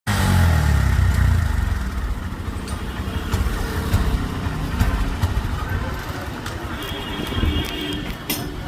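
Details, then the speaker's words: Honda SP125 motorcycle idling roughly with uneven stumbling misfire beats; malfunction light was on and OBD showed random multiple cylinder misfire, traced to a bad connection. "இப்ப நான் வந்து காமிச்சிருப்பேன் எந்த அளவுக்கு வந்து miss pier ஆகுது அப்படிங்கறது உங்களுக்கு தெரிஞ்சிருக்கும்"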